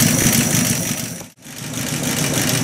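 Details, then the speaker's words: Buick Roadmaster carbureted engine at warm idle after final carb tuning, around 450–500 rpm and bouncing, with some throttle-linkage slop: a low, even lope with no misses or knocks. Idle is good; cold choke performance is untested. "I'm pleased with that idle that's pretty good at least for a while it's warm"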